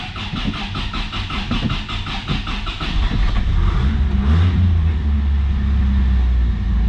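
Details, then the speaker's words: 1983 Toyota Celica ST, 22R four-cylinder, cold start: cranks, fires and picks up with a couple of throttle blips, then holds a smooth, even low drone, running well. "there we go running well this is a 22r"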